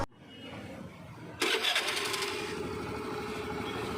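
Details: Honda Activa 5G scooter after fixing an ignition wiring harness no-spark fault: quiet, then catches in about a second and settles into a steady, even idle with no misses.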